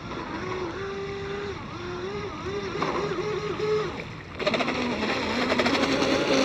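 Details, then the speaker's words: Seaducer SD3 30-inch mono hull RC boat, 3660 1700kv brushless motor, 150A Flycolor ESC, SMC 4S 7600 pack, stinger drive, oversized rudder: high motor whine surges and wavers, revs flaring as the prop ventilates and won't load up. "You hear the ventilation. All right. She didn't like that."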